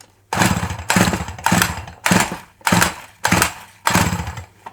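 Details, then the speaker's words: Dolmar 100 chainsaw on original carb fires in ragged bursts about once a second and dies back, never holding idle; same issue as before, owner suspects not enough fuel getting through, or possibly clutch/chain. "oh do you hear that that don't sound good ises it wonder if that chain breaks a bit that clutch might be a bit funny in there we got the same issue as what we had"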